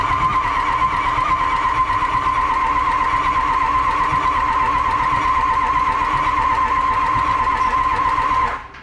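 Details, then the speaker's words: 6.0 Powerstroke diesel truck flipped into a pond, water found in old ECM connector, ICP good, fuel pressure 60 psi: steady even cranking about four beats a second for nine seconds, never fires, then stops; cause unknown, owner suspects steering column/ignition. "we'll have it up and running though so it's turnovers that's a plus we don't know why it's not turning over the ignition yet but it could be something in the column"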